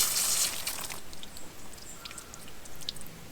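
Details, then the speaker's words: Holman BTX1 Bluetooth tap timer feeding drip emitters for avocado trees: brief splash then soft steady dribble with scattered drips; emitter flowing normally. "right so that's the way these should work a little dribble like that"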